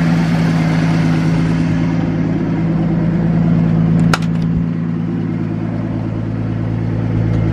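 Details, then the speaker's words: 1980 Ford F-100 with 300 straight six, first start-up after replacing copper spark plugs with double platinums: low, steady even idle, no misfires or ticking; usually a rough start and weird idle, now RPMs not as high, owner thinks plugs helped. "seems to be running pretty good that's that first start up with the bottoms normally it's a little rough start the idle is a little weird this sounds good"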